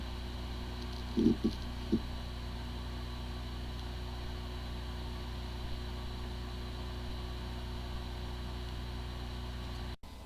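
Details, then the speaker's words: Seagate Archive ST8000AS0002 8 TB hard drive with disk firmware corruption: quiet steady spindle hum, a few brief clicks at start, no repeated clicking or grinding; sounds like a good drive, but the computer cannot detect it. "The following is the sound from one of the hard drive which experienced disk firmware corruption. It sounds like a good hard drive, but the computer cannot detect hard drive."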